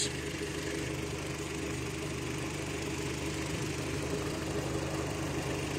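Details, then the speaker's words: Kia Rio at idle after its faulty computer box was repaired; it previously would not start. Steady, even idle with a smooth low beat and no misses or knocks. Normal idle. "Maandar na. Ayan, dati po ito hindi umaandar. Ang sira yung box."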